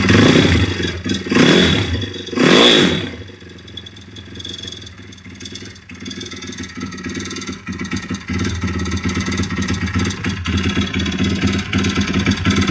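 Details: YX-1 160 four-stroke single: a few revs, then an irregular clatter through the idle at under one knock per second. Fully rebuilt with valves adjusted; small piston-pin play, no conrod or cam play, but the cam came out easily with its bearings; slight ringless piston play. Cause uncertain.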